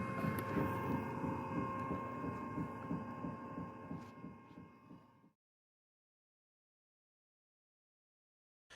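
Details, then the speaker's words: Aspire pottery wheel motor hum with a regular soft thump about three times a second from a hard spot in the micro-V drive belt, formed where the belt sat idle conforming around the small pulley. "thumping sound can develop if the belt has been sitting in one spot for too long when it sits idle the belt conforms around the small pulley and develops a hard spot when the belt rotates around it can make a thumping sound"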